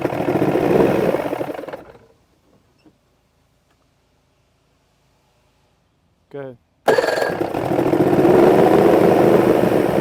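Outboard runs with a ragged, uneven beat, cuts out, then restarts still lumpy; rough running, the engine is not firing cleanly. Cause suspected, not confirmed.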